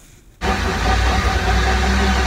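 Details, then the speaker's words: 2008 Dodge RAM 1500 Hemi, about 125,000–146,000 highway miles, light towing; on jack stands in gear, sped from 20 to 50–60 mph, a steady low drone from the rear differential persists after a fluid change; cause undiagnosed. "help me diagnose this what is this noise what's causing this noise"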